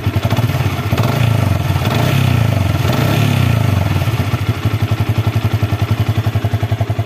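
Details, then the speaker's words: Old Yamaha Vixion, engine still very hot after test ride, after replacing water pump seal, bearing and impeller: revs up and settles with a clean, even exhaust beat and no whistle or whine; running healthy. "yang seharusnya jika sealnya dia masih rusak, berarti dia masih bunyi siulan seperti di awal video."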